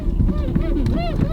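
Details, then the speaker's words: 2003 Toyota Camry, slow reversing: repeated rising-and-falling squeaky creaks as the steering wheel turns over low road rumble, plastic rubbing inside the steering wheel. "And that wasn't me. That's the steering wheel. These things all creak when they get home."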